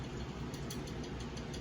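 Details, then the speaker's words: Mingda D2 3D printer while printing: quick repeating mechanical clatter, about six knocks a second, over the motors; the hotbed moves when touched and is loose and rattling on its screws. "That shouldn't be moving at all. That's what I'm trying to tell you. And then when this prints, listen,"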